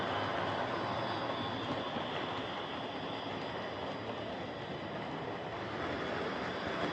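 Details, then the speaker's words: Hornby Dublo R1 0-6-0 tank engine model locomotive, possibly about 60 years old and well run with brushes worn right down, running on the layout: constant loud rattling whirr from the small motor and gears, far noisier than it should be; loud gear noise. "Okay, so as you could no doubt hear there, this is a tad loud. I've been fiddling with this a lot to try and reduce the noise, as these old Dublo motors are tricksy things."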